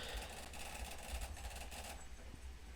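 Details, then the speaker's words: PS2 (503 model) sold with disc read errors; laser worm assembly partially seized, drive grinds and whirs as the laser sled binds and moves poorly. "that Laser's not that laser is not moving too well"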